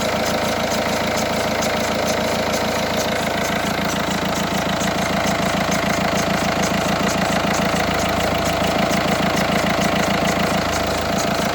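Cold diesel idle with a steady, fairly regular ticking over the clatter, about two per second; source not pinned down yet. Cause suspected, not confirmed.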